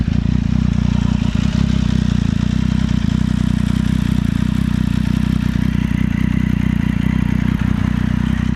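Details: Triumph Street Triple 675 (2014), about 13,500 km, still under warranty: steady engine run with irregular light clatter about four knocks a second, growing louder over time and worst when hot; owner fears counter balance shaft damage, not confirmed; abnormal engine noise.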